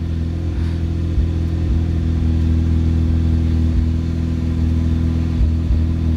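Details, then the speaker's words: Mazda FD RX-7 rotary, long-sat and just back from an interior restoration with the AC unplugged, fires after one or two cranks. It runs at a steady, even hum with no squeal; the mic faces away. Normal running. "So I just fired right up after one or two cranks."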